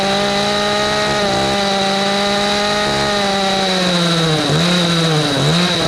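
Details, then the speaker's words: Echo CS310 chainsaw that would not start, idle or cut, first run after a carburetor replacement: the two-stroke buzz sags and recovers twice. It needs tuning, after which it was fixed. "I think this bad boy need to be tuned up."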